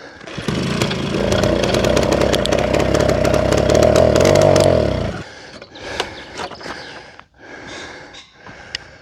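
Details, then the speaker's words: Old pedal-start moped, 15 years owned; catches and sputters unevenly, then dies; owner suspects not enough fuel and pumps more; hard starting. "Sounds [snorts] like it's not getting enough fuel. So, I'll just try and pump some more."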